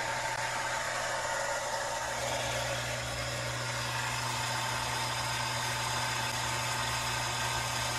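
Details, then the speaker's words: Shallow well jet pump on a solar-powered system, restarted after a year unused, kicking on again after the spigot is opened: steady even hum with smooth water rush, no knocks, refilling the tank to full pressure; normal running. "full pressure back into the tank all right well the system is performing properly and i think it's set for the season"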